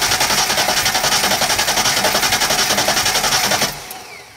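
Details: 1995 Ford Mustang donor car after years of neglect, starter freed by hammering, starting fluid sprayed in: steady fast cranking around three to four beats a second with no catch; cranks but won't fire.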